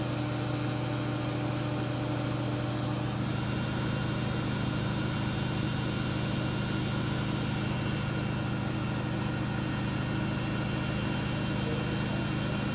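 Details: 14-year-old Samsung washer at about 1000 RPM spin with a super unbalanced load: steady droning hum with rough fast vibration throughout; owner suspects bearings, unconfirmed, empty spin test pending.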